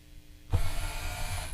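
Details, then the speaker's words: Dead lift zombie riser prop with the lift gear motor wired straight to the prop's power supply for a direction test. A second-long burst of even gear whine starts and stops cleanly. Normal motor operation. "okay so that works now we're going to flip them around okay so now we are able to make the zombie rise and go down"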